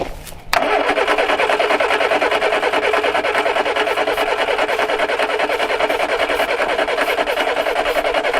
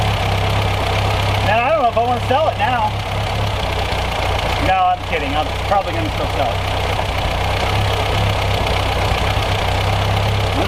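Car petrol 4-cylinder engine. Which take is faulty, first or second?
first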